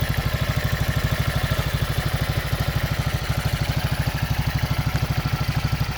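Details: Racer 164FML 200cc pushrod single-cylinder engine with a balance shaft, first start after repair: steady idle with even thumping at a constant beat, no knocks or rattles, running healthy.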